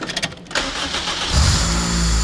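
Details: $500 Honda Civic build engine cranks briefly, catches cleanly with a quick rev, then settles into a steady idle with no misses or knocks; normal start and idle.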